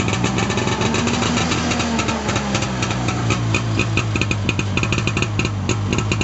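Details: 1989 Arctic Cat Jag 340 two-stroke snowmobile, all original, cold start after at least 10 months sitting, about -22 °C overnight; steady crackly putter, even beat, no surging or dying; normal idle.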